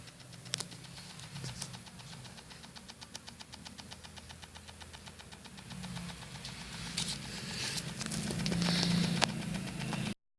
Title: JBL SUB has RATTLING NOISE What do you think guys?